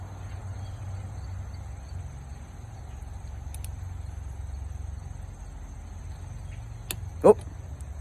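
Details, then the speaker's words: Torque wrench tightening head bolt number six, in sequence, on an overheated Johnson/Evinrude 60-degree 175 outboard during head O-ring replacement: quiet hum, then one sharp crisp snap as it clicks at the 210 inch-pound spec (200–220 range). "see that once it makes that click that means it's at the correct spec which is uh 210."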